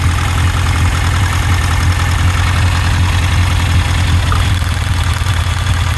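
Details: Idle uneven, low thump stumbling two or three times a second instead of running smooth: steady misfire on cylinder 4.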